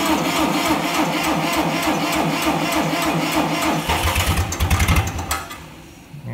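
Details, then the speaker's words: Case IH tractor diesel cranked on a jump pack while starting fluid (ether) is sprayed into the long air intake. Sluggish, uneven cranking at about three beats a second labours before a half-catch. The starter is acknowledged to need work. "whoa and you can hear I do need to work on the starter it's not perfect yet"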